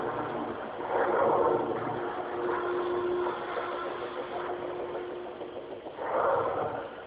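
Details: Speakers with only the power cable connected and input cable lying loose, ear at speaker then volume raised: rushing hiss swelling and fading in bursts over a faint steady tone; source of the noise unknown.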